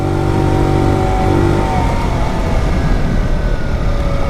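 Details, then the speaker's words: 2020 Tao Tao 50cc GY6 scooter: engine note sags and goes rough under throttle instead of climbing, bogging hard. Owner suspects a vacuum-related fault and an air-fuel mixture that is way off, and plans a new carb. "That would be full throttle. But it chokes. It's bogging real hard."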